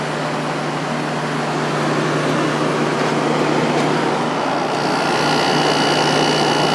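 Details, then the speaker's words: Vintage Whirlpool Coolerator 7,000 BTU air conditioner, Matsushita rotary compressor, Emerson fan motor on high speed, capacitor due for replacement: steady loud fan rush through condenser coil with even low hum, no rattles or scraping; running normally. "ban on the turkey air conditioner is pretty loud quieter that's where we're pulling right now lots of air flowing through the condenser coil"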